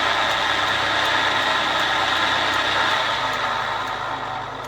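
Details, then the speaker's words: Hurom juicer after repair, weak-magnet cover safety sensor disabled so motor spins without the cover: steady motor hum with faint even pulse, smooth, easing slightly at end; running normally. "But now it rotates without this cover. So you have to be extra careful with your fingers."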